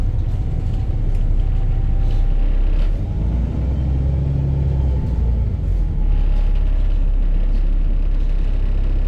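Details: Arriva Yorkshire VDL bus 1518 (YJ61 OAD) diesel at idle: deep, uneven knocking pulse through the low rumble; exhaust blown the day before.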